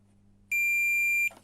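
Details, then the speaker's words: Alfa Romeo MiTo diesel running on three cylinders during glow at cold start: a multimeter continuity test on one glow plug gives a single clean high beep, so the element isn't open circuit. "Lorsqu'elle a été testée en fait par le maître sur la voiture montée, j'avais bien le bip, comme là."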